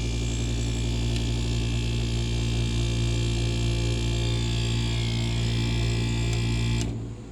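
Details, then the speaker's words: Camper air conditioner running with its top cover off, blowing cold with cold coil: steady compressor and fan hum with low drone, then clean cut-off and fade to quiet; normal shutdown. "Oh, you guys wanna, I'm sure you wanna hear it turn off."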